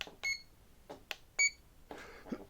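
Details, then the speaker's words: ParkZone Sport Cub S RTF micro RC transmitter, elevator trim button pressed: short clean beeps, each slightly higher in tone, signal the trim stepping off center, while a long beep means it is centered. "each beep you can hear it go uh slightly higher tone and if you click back down that's the long beat the long beat means that it's centered"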